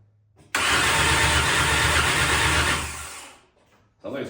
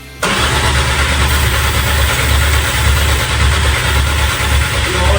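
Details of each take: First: MK1 VW Rabbit with swapped 2.5L 5-cylinder 07K engine, cranking before spark is sorted: strong, even rapid pulse for about three seconds, no catch; compression sounds good and consistent. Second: MK1 VW Rabbit with a swapped 07K 2.5L five-cylinder engine, cranked while starting spray goes into the intake. The starter churns steady low compression pulses for about six seconds and it never fires. Crank, no start.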